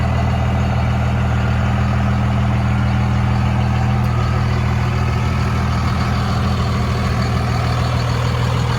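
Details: Steady, even low diesel clatter with firm regular beat, no misses from a 2002 Dodge Ram 2500 5.9 Cummins six-cylinder 4x4, 6-speed manual, 102k miles; healthy normal idle.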